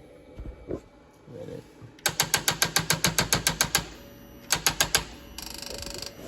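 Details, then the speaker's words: Polaris Sportsman 500 ATV that won't run: rapid sharp clicking three or four times a second with no cranking; starter clicks, no crank, no spark even with several swapped spark plugs. "this one came off my truck and none of them seemed to work so it's not getting spark uh the starter is clicking"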